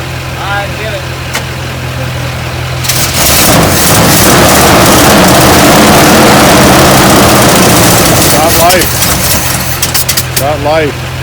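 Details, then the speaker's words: Chevy ramp truck first start after installing a new distributor, jump-started with no throttle cable: cranks briefly, catches around three seconds and settles into a loud, steady run; the engine runs normally again. "so we finally got this beast running last night we had to put a new distributor in there which"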